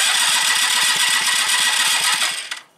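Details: 1986 Yamaha Riva scooter with a new but weakening battery and fuel poured in: the starter whirs with an even chuff and never catches. It cranks but gets no spark at the plug.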